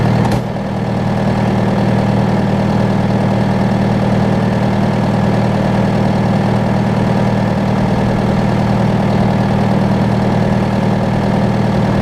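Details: John Deere 6115M diesel tractor, about 3 years and under 1000 hours, started after replacing rubber fuel lines and priming with the fuel pump; smooth, constant low idle hum with no misses or knocks for over ten seconds, healthy.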